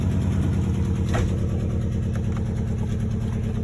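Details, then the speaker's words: 2001 Nissan Sentra, 92,000 miles, check-engine light on, before repair: uneven, stumbling idle, a misfire traced with a code reader to a likely bad ignition coil pack. "I noticed that there's a bit of a misfire so which guys can start it up"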